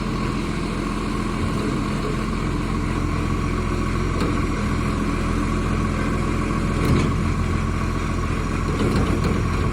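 Heavy diesel idle with a loose, uneven puffing chuff riding over the low rumble, typical of a big exhaust leak.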